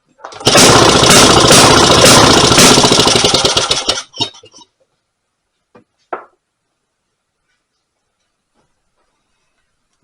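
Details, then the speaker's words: Rebuilt 1924 Maytag Model 82 single-cylinder washing machine engine on fresh gas after pull-rope start: fast ragged popping about 220 a minute falters and dies within four seconds; running unevenly, owner thinks the governor needs turning up more. "tried to run there sounds like I need to turn the governor up some more"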